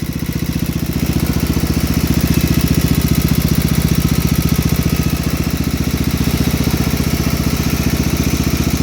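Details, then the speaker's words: 1971 John Deere 110 with 8hp Kohler K181 single-cylinder after head gasket replacement: steady even thump about four beats a second, no misses, plenty of blow-by, slight valve tick suspected; running normally, head gasket leak gone. "But here it is, running. Plenty of blow by, like all Kohlers. I had this fall off. Sounds like it has a little bit of valve tick in it. Way better without a head gasket leak."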